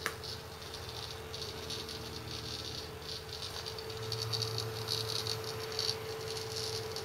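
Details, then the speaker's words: Seagate ST6000DX000 6TB 7200 RPM hard drive in an enclosure during a 4K read benchmark, gently tilted and moved: irregular bursts of loud, dry seek chatter over a faint whine, with no notable performance change. Loud seeking triggered by vibration or angle changes. "if I start moving it I'm being very gentle with the drive very little change but it does that he goes into this loud seek mode you notice no performance change"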